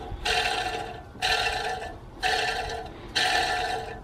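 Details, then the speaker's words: BMW N47/N57 diesel drive belt tensioner, spun by hand with belt off: four harsh gritty whirs fading as it slows, bearing completely shot; new tensioner is virtually silent and was fitted. "see if you can listen to this yeah that that bearing is completely shot"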